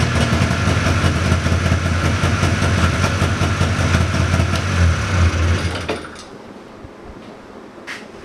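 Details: 1979 John Deere Cyclone 340 two-stroke snowmobile after carb cleaning: steady putter at slightly fast idle holding even several seconds before shutting off; runs cleanly, air box still off. Normal idle.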